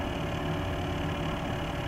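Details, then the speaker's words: Corsair H100 water-cooling pump on a PC at idle with eight fans and a new Corsair power supply, pump turned to its lowest setting: steady, even hum with faint low drone, louder than all fans combined. "i'm going to turn the pump now until its lowest setting the machine is idle the pump is quite loud"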